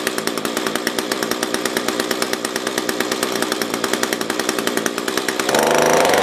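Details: SRM-210 trimmer with new carb, during idle/main screw tuning: uneven loping putter about three to four beats a second, then catches and revs high; fuel starvation, owner thinks fuel is below the filter.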